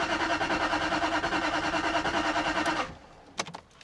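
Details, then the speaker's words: 2001 Jaguar XK8 coupe that has not started in 10 years: steady starter churn about three beats a second for nearly three seconds, never catches; owner suspects one camshaft sensor signal is not reaching the ECU. "I don't think it's picking up from one of the camshaft sensors. I need to work out which is bank 2."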